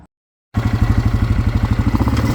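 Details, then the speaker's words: 1998 Yamaha Grizzly 600 ATV, started after direct battery hookup: engine runs rough with a choppy, uneven pulsing of about eleven beats a second that never smooths out; owner suspects a bad carburetor. "all right I did get it to run it's not perfect but it does run but you can hear it now it starts up good it soundss a little rough but it does start up good"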